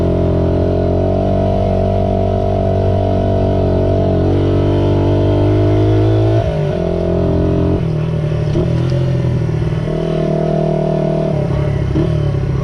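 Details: Restored 1978 Honda XR75, last run around 1989, ridden after a misset adjustment was corrected per the manual: the small single pulls cleanly through the gears, revs rising and falling evenly without misfire or clatter; normal running.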